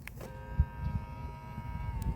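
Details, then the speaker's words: 2021 Ford Mustang Mach-E power side mirror after warranty replacement of both failed mirrors: click then steady mid-pitched motor whine for about two seconds while folding, smooth actuation, normal for these mirrors. "Oh, that's some smooth actuation. Still doesn't sound great, but that's how they sound."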